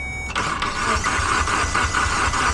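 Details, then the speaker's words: Mitsubishi Evo X with no-start after owner replaced broken key antenna: starter cranks the engine in a quick regular chug, about three beats a second, but it never fires; possibly immobilizer-related, starter also suspect, unconfirmed. "So, it cranks over. Uh, doesn't seem like it wants to start, though."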